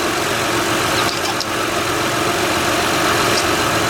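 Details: 2006 Honda Odyssey EX-L at idle after the power steering pump replacement and a new oil-soaked-belt replacement, with an even, smooth hum and no pump whine or groan; no leaks are found.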